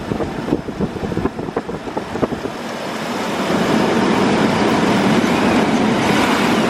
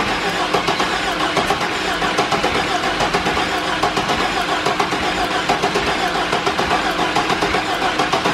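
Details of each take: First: 1998 GMC Sonoma with a replacement 4.3 Vortec V6, fitted because the original had rod knock, on its second start attempt: steady, even idle after a few light taps, no knocking or smoke; normal idle. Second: 1998 GMC Sonoma, replacement 4.3 Vortec V6 fitted after a rod knock, first start attempt: starter churns steadily about eleven seconds and never catches; crank no start, owner suspects timing 180 out, distributor incorrectly indexed.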